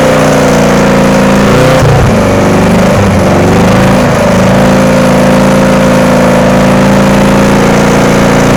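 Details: VW engine in Sterling kit car, first runs after static timing and adjusting loose valves: wavering, unsteady note that sags and recovers, rough running; owner plans to sort the wiring and is unsure the fuel pump works.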